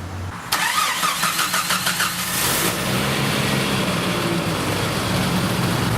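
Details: 1992 Jeep Wrangler YJ 4.0 inline-six: starter cranks briefly, engine catches and settles into an even, steady idle with no exhaust ticking after the exhaust leak was patched.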